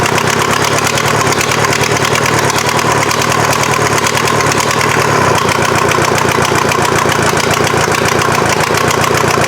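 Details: Mazda off-road truck with a swapped Volkswagen diesel engine on its first successful start: dense, regular diesel clatter at a steady, even idle. Normal diesel idle, though the injection pump still needs tweaking and some smoke was seen.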